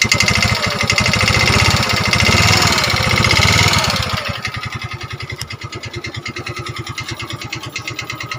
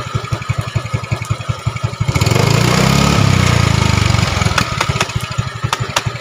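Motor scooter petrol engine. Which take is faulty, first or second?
first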